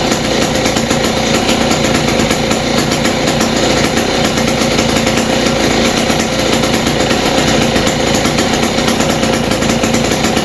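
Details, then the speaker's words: West Bend 580 two-stroke engine after cleaning the carb and reed valves and fitting new gaskets, no choke, mix screw 2 turns out: loud, steady buzz at an even pace with no stumbling or surging, a clean healthy idle. "Alright guys, finally this engine is running again and idling. So I guess cleaning the carb and the reed valves did the trick."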